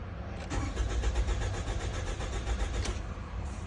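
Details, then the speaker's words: 2014 Toyota Camry four-cylinder crank-no-start after stalling while driving: steady, even cranking near four beats a second, cadence sounding fine; scanner shows no rpm but a MAF reading, timing issue not suspected. "No RPM. I got the mass airflow sensor reading, which means I'm sucking in some air. I don't know if you can hear it with the microphone, but the cadence of the engine sounds fine. I don't suspect a timing issue or anything like that."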